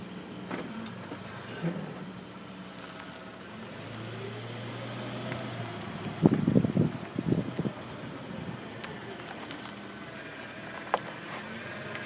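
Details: 2004 Jeep Grand Cherokee, 106k miles, with new rotors and pads: quiet hum at low speed, then a short burst of heavy, uneven clunks at full steering lock. The clunk also occurs when braking at 50 mph; owner suspects CV joints or transfer case.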